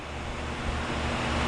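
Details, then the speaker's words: Sitek 2300 spin rinse dryer with 4-pole insert rotor, ramping from 500 to 1800 rpm: smooth, even rushing sound building gently, barely audible, no knocks, wobble or rubbing; normal healthy high-speed running. "perfect look how smooth it is you can actually if i had my back to it i couldn't even hear it running it's so nice"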